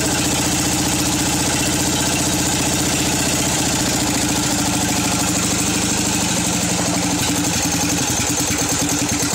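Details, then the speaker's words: Craftsman 13.5 hp single-cylinder mower engine at its original idle adjustment, which seems far too low yet had idled fine before: slow, slightly uneven lope of about three beats a second. Low idle speed. "that's my original idle adjustment it is you can tell it really seems it seems like it's way too low and actually believe it or not it's idled fine where it needs to be"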